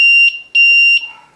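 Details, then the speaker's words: Box Quad multirotor, throttle down, rudder moved left to disarm; controller shows safe: two steady high beeps about half a second long, then quiet; normal disarm signal. "will disarm it, and it says safe on the controller. So throttle all the way down, rudder to the right, arm, rudder to the left, disarm."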